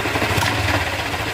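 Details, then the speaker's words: Honda Click 125 V3 scooter at idle: a rough, gritty clatter rides steadily over the engine. It began after a tire change, and an exhaust leak was already fixed. Others blamed the crankshaft, but the cause was a camshaft bearing. "Ngayon parang may narinig kayong gaspang sa makina."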